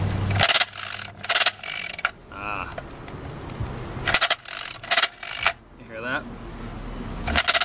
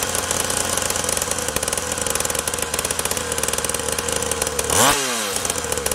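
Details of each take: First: SYX MOTO Holeshot 50cc recoil pull start with spark plug fitted: dry ratcheting clatter on each pull, engine not turning; pawl springs inside starter came loose, can't overcome compression. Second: SYX Moto Holeshot 50cc two-stroke after spark, carburetor and pull-start repairs, idle screw being adjusted: buzzes evenly at a fast, steady idle with crisp regular firing pulses and one brief blip; running cleanly.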